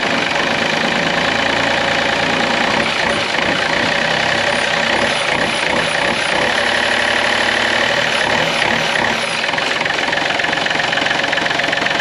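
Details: Takeuchi excavator diesel, partially parted out, unknown hours, first start running without the fan belt driving the water pump: loud clattering idle with an irregular knock about three or four a second; oil pickup later found lying in the oil pan.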